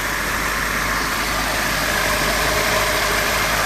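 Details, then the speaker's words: Renault 18 2.0 carbureted engine, all hoses connected and distributor advanced: steady, even, fairly fast idle hum with only belt and pulley sounds and combustion, no knocks or misses; normal fast idle. "Notice that now he is much more serene, the only thing heard is the sounds of some belts, pulleys, and of course the explosions"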